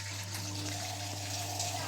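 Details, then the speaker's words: Siemens front-load washing machine that shut off and wouldn't spin or drain, after clearing coins and debris blocking the drain: steady low drain motor hum with water rushing through, no rattle or grinding; pump running freely, draining normally. "അല്ലെങ്കിൽ motor complaint board complaint അതേ വരാുള്ളൂ drain motor work ചെയ്യാണ്"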